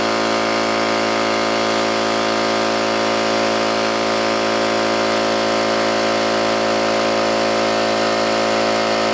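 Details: New oil-lubricated Campbell-Hausfeld air compressor, regulator fully down and drain valve closed, filling tank under load: steady even pumping drone, no metallic clatter or knock; healthy compressor.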